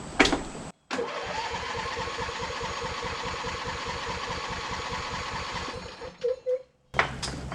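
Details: Lawn tractor after winter storage, gas not drained and battery possibly uncharged, choke pulled: strong, even starter chugging at about four beats a second for five seconds, engine never catches.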